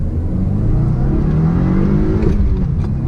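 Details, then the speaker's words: 2015 Subaru WRX manual: engine revs, then short harsh grinding as the lever goes into third from fourth or second; suspected worn synchros, not confirmed. "going from fourth to third or second to third it just grinds like I'm and I'll demonstrate it it's apparently something to do with synchros going bad and so the gears and stuff or something aren't like matching their speeds properly so they're grinding together"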